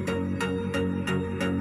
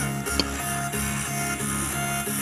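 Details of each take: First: Polytron active speaker, left channel, after repair: music plays clear with a steady plucked beat and no hoarse rasp or crackle. It had turned hoarse after a few minutes, with a blinking-then-dead indicator and "breathing"; the technician suspects loose solder. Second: Polytron active speaker, left channel, before repair: music sounds rough, fuzzy and very hoarse with clipped edges while the right channel is fine. The technician suspects a weak power amp, weak capacitors or the amp supply; the indicator light is dead.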